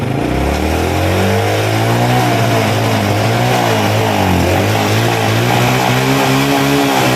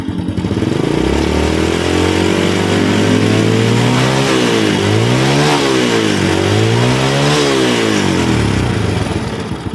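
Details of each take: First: Honda Grand motorcycle after carburetor service and valve adjustment, kick-started: revs waver and stumble as throttle opens instead of climbing cleanly; owner blames the ignition, not the carburetor, later fixed, faulty CDI. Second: Honda Grand motorcycle that was hard to start on the electric starter, after replacing a weak CDI: revs climb smoothly to medium-high and fall back twice with no stumble or jerking; normal revving.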